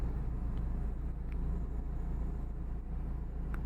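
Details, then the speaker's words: Chevrolet Aveo after repair of idle RPM fluctuating: low, even idle holding steady at 785 rpm with no hunting or misses; problem solved, normal idle. "இங்கே பாருங்கள், 785 RPM மாறாமல் அப்படியே நிற்குது."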